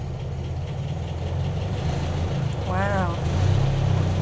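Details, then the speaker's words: Land Rover Series 2a station wagon starting without choke: a low, even idle with a steady beat and no knocks or misses. It dislikes the choke, possibly running a bit rich. Normal idle. "Oh, doesn't want the choke on. Okay, maybe it's running a bit rich."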